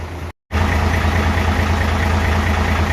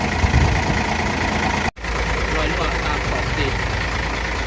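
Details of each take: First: Hino FG8J with 6-cylinder J08E diesel, 600,000 km and never valve-adjusted, idling before adjustment, heard at the front: loose clattery ticking over the rumble. Intake lash measured up to 0.50 mm (spec 0.30), exhaust up to 0.60 mm (spec 0.45). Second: Hino truck with JO8E six-cylinder diesel at 600,000 km, after its first valve adjustment (intake 0.30 mm, exhaust 0.45 mm): idles with a steady, even clatter and no tapping or irregular knock; smooth, quieter normal idle.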